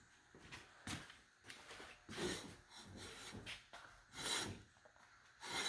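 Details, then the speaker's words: F-body Camaro front wheel spun by hand: dry sandpaper-like rasp in uneven sweeps, slowing with the wheel; brake pads dragging on the disc. "Yeah. sound like sandpaper."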